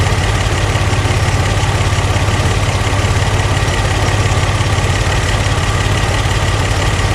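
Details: Barn-find Buick Regal Turbo at low idle after new plugs, wires, in-tank fuel pump and fuel filter, with 150 psi compression after adding oil: an uneven, lumpy beat about three a second, an idle misfire.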